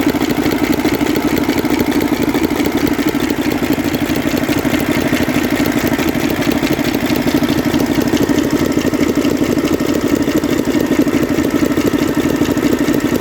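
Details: Six-cylinder Mercedes Actros truck diesel engine, said to be a 2009, at idle; hard regular clack about three times a second over the clatter, a cylinder misfire knock on cylinder 3 traced to a seized valve rocker roller.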